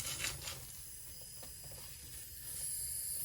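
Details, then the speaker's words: Pressurized stainless-steel water supply line burst at a threaded stainless T-fitting in a second-floor bathroom, with the water meter spinning: a faint, steady high hiss under light room noise; the leak sound. "쉬익 하는 소리 들리세요 ? 지금 들려오는 소리 가 바로 그 소리 입니다 ."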